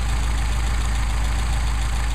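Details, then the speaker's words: Mercedes 190SL with Solex carburetors, started from cold, after balancing airflow through both barrels: smooth, even, low-pitched idle at about 900 rpm with a regular pulse and no hunting; carburetors balanced, idle mixture screws next. "excellent now we got a nice idle about 900 rpm"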